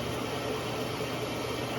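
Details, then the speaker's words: Whirlpool Duet Sport front-loader running after shock absorber leg plastic piece refitted with tape and tie wraps; steady even whirring hum, cabinet shaking judged normal, no knocking or banging: normal running vibration. "as you can see the whole thing is shaking which is normal"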